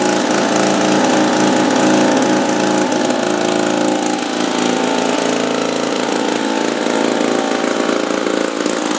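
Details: 1950s two-stroke lawn mower, apparently Wheel Horse (Dunlap name, horse head on the engine), first run after 10 years hanging on a wall. A small two-stroke popping at a fast, slightly uneven rate with a raspy buzz; running fine, normal.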